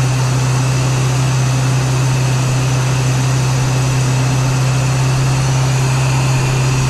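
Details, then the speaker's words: Geo Tracker 8-valve, idling on jack stands after a stainless header replaced the leaking exhaust manifold gasket: steady low idle drone with an even exhaust note and no ticking or puffing at the header. No leaks heard or felt. "I don't hear any leaks. I don't feel any leaks. I think we're in good shape here."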